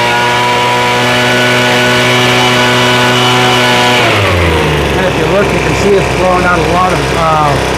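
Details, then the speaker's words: Craftsman leaf blower two-stroke after carb rebuild: clean steady high-speed note dropping smoothly to even idle, no stumble; high-speed needle could take slight tweak but running properly. "Sounds like we could tweak the high end just a little bit. The high end is okay though."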